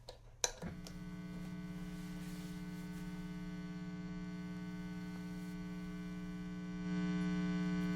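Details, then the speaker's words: Guitar amp at volume five, volume turned up: steady low buzzy ground loop hum on 120V 60Hz mains, later removed with a Hum X filter. "obviously I turned the volume way up because I wanted you to hear that hum a little bit better"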